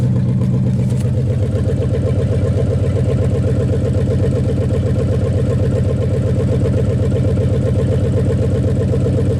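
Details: 1956 Studebaker Golden Hawk V8 at its first start in 50 years, even low idle burble of about 160 pulses a minute, no knocks or misses; carburetor and mechanical fuel pump doing well, with minor fine tuning pending.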